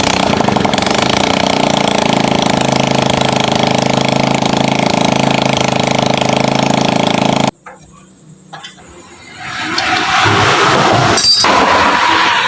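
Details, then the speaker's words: Honda Grand motorcycle brought in for a rough internal engine noise, run after valve clearance adjustment, manifold refit and an oil refill: a fast, even patter at steady pitch with no rough rattle. Sounds different now, running normally. "Saya lembur beda ya suaranya ya guys"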